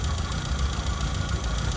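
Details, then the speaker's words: Classic car with points ignition, a newly fitted rebuilt unit and wrongly fitted resistor BP6 plugs, idling not yet fully warm: an uneven, lumpy low beat with occasional stumbles; an idle misfire. Points gap is suspected small, not confirmed. "It's not fully warm yet, but as you can hear, it's got a bit of a misfire."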